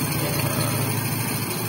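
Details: Honda XRM125 brought in for hard starting and dying at idle: here it holds a low, even idle with a steady beat and no misses or stumbles.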